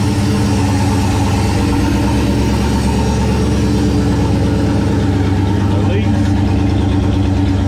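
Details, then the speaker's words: 1969 Plymouth Valiant, stock 360 Magnum V8, Mopar cam, new Proform intake, GT45 turbo at 5 psi, first start in a month: fired instantly, loud, steady low rumble with a lumpy but even beat and no knocks or ticks; normal idle. "good deal instantly fired up that's always a good sign"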